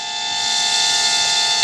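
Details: Temu XD1 Pro mini Inspire-style drone with solid-core brushed motors, 600 mAh battery: steady high-pitched whistle over buzzing motors, slowly growing louder; cause unclear.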